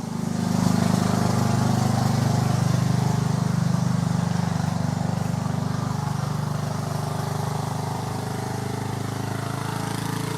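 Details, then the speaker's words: Small single-cylinder engine now running even and steady at about 214 pulses a minute, no misses or knocks; described as sounding wonderful. "once again, that sounds wonderful."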